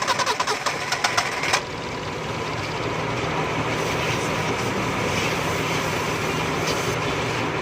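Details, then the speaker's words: Car that wouldn't start after engine washing, plugs and ignition (firing order 1-3-4-2) checked: about 1.5 seconds of cranking, then catches and settles to a steady even idle; starts normally. "लोग दोस्तों गाड़ी start हो गई है"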